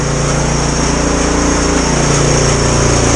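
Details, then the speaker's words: Snow blower small single engine, pull start broken, started on full choke with 3–4 primer pumps, runs fast and steady on choke with an even beat, no misses or knocks, stronger than before; normal running. "I think it's 3 pumps before. Oh yeah, that sounds stronger than it was before."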